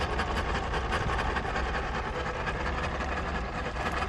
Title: 0718 rough idle but running